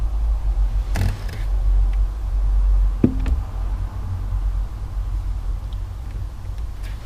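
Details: 2012 Insignia 2.0 CDTI 160 diesel, heard inside the car; a couple of isolated sharp knocks right at the end of clutch release, also felt through the foot, over a steady low engine rumble.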